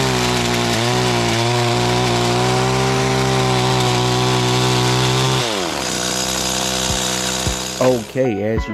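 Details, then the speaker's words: Stihl FS85 trimmer after repair (missing fuel bulb replaced, reversed return and main fuel lines corrected), cutting overgrown bushes: high, steady two-stroke buzz holds well under cutting load, then drops cleanly off throttle; running normally. "all right let's test this thing out on some overgrown bushes"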